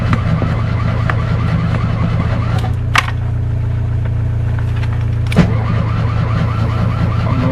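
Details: Fiat 126 cold start, last run 18 October: starter turns the engine over in a steady, low droning churn for several seconds but it never fires; crank-no-start, owner suspects spark plugs or ignition coil.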